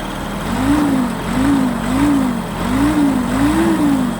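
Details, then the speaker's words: Kubota GT-3 mini tractor, 4-cylinder liquid-cooled diesel, 570 engine hours, just started on a cool day: soft, even, quiet idle with a gentle low hum, no knocks, misses or extra noises; normal idle. "Все работает ровно, тихо. Никаких подтеков, никаких лишних шумов здесь у нас нет."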